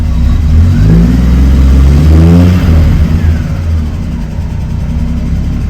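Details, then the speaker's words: Triumph TR6 six-cylinder after a final EFI kit install, warm start in neutral (idles a little low when cold): blips smoothly and settles to a steady tickover with no misfire; healthy revving. "so yeah it's working really well I'm really happy with it"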